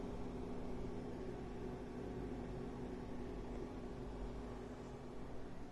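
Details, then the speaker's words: AMD RX 7600 dual-fan graphics card under GPU stress test, GPU about 92-94 °C, around 185 W: steady airy fan whoosh with faint low hum, no rattle or grinding; somewhat noisy but normal. "they are a bit noisy but this is a dual fan design"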